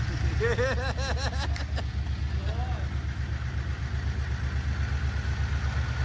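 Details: Harrop-supercharged LS V8 in a Series 4 GU Nissan Patrol with 6L80 auto and 3.5" stainless exhaust, at first start: deep, steady burble at even idle, no knocks or misses. Sounds good from the rear, with good oil pressure; healthy.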